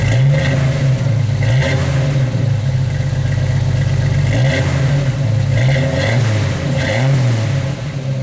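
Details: 1991 Jeep Wrangler YJ after replacing holed exhaust with new muffler and tailpipe from the cat back: deep even exhaust note through rev blips rising and falling cleanly, no rattle or leak, no fume smell.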